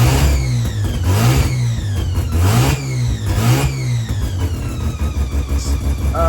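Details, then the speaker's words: Customer car during a timing check before going home to Taupo: timing where it needs to be, climbs cleanly through several quick blips and drops back evenly without hesitation or misfire; normal revving. "Timing is where it needs to be. It revs up quite nice, so pretty happy with that."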